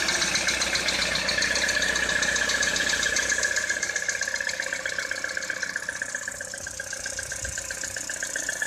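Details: Citroën C4 2013 at idle: a sharp, even ticking knock of about four per second over the idle; engine knock, source not pinned down.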